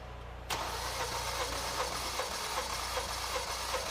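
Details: 4-cylinder engine cranking during a Picoscope cranking compression test, cylinder 2 measured: even, steady cranking rhythm of two to three beats per second with no stumble; compression sounds healthy.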